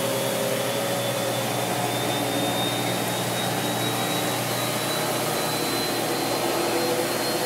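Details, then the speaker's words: Maytag Neptune washer, model MAH5500BWW, after motor and motor control board replacement, in diagnostic tumble (7/3 tumble pattern, about 12 seconds): steady motor hum, faint rising whine, even drum swish; flywheel turning, drive sounds smooth and healthy. "we are in the uh tumble using 7/3 tumble pattern for 12 seconds I guess"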